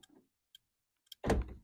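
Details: 2010 Toyota Yaris with a newly installed aftermarket keyless entry remote spliced into its power locks: a couple of faint clicks, then two solid clunks about half a second apart; the lock actuators respond normally.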